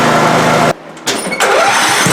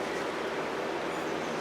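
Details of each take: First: Older Scotts 1642/1742 riding mower after spindle, pulley and belt repair on the noisy deck: engine catches after a brief stutter and settles into a steady, even drone with no knocks or grinding, mower engaged, running normally. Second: Worn bearings in an older Scotts 1642/1742 mower deck spindle pulley, hand-spun: steady rough gritty whirr; long neglected and noisy, all pulleys noisy.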